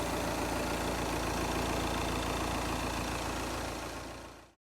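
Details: Audi A6 diesel, example of correct engine sound; even, steady diesel clatter at idle with no whine or chirp from the belt side; healthy.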